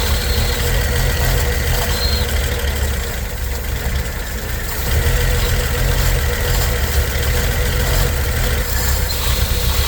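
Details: 1964 Chevy C10 on its original drivetrain, first start in 30 years, bottle-fed fuel into the carburetor; the old six has an uneven, lumpy idle with a soft, loose beat and no snap, running on all cylinders but weak and rough.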